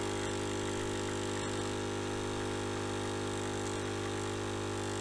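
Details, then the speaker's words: Nivona coffee machine brewing a 3-bean-strength cup after a fix for water flow through the brewer: steady, even pump hum with no creaking or straining, normal brewing. "No kurna, żadnego trzeszczenia, żadnego naprężania się."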